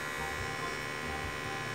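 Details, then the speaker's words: Mattel Barbie/Hot Wheels computer (Patriot Computers) being repaired: constant rough whirr with thin whining tones from the CPU fan, which sounds dreadful and is due for replacement; cause suspected, not confirmed. "In fact, I'm thinking we're gonna be able to get this thing fully repaired once I get a replacement power supply and another CPU fan, because that thing is dreadful!"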